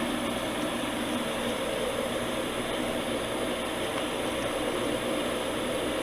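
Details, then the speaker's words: Septic jet aeration pump after overhaul, float lifted to test it: steady, even rush of air with no knocking, rattling or surging, good vibration and flow on the pipe; normal aerator airflow. "but i can feel good vibration and good flow on that on that pipe and that's running like just like it's supposed to it's perfect got some good airflow going now that's a big difference"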